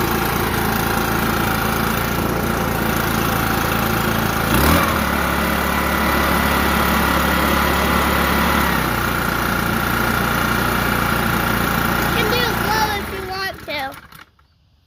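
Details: New Echo PB-5810T backpack leaf blower, first run after fueling: steady, even idle with a smooth low drone and no misses or knocks before shutoff; engine sounds healthy.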